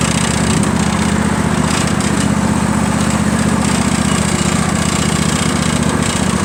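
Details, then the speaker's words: John Deere L118 twin cold start on choke before a new carburetor: uneven chugging about three beats a second with skipped firing; one cylinder not firing properly from a faulty carburetor, only runs with choke on. "It's really something messed up with this carburetor. So really the only way to make this run with this particular carburetor is to keep that choke on, which is not good for the engine."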